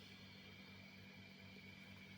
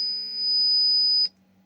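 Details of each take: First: Laney Cub 12R valve guitar amp, warmed up after its squealing and hum were fixed by cleaning insulating paint to bond the two chassis halves: idles quietly with only a faint low hum and soft hiss, a normal noise floor. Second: Laney Cub 12R guitar amp oscillating as controls advance: loud, high screech near 5 kHz over hum that cuts out abruptly to faint hum when a socket is grounded with a clip lead; grounding fault from paint-insulated chassis halves.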